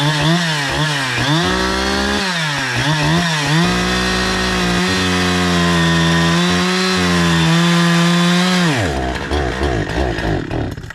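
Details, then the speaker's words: Brand new NEO-TEC NH872 71cc chainsaw (Husqvarna 372 XP clone), 28 in bar, after further carburetor tuning: holds high power at full throttle a while, then pitch sags and it abruptly dies; cause unknown. "dude it did great right up until that spot where it cut out I don't know why it just like cut off"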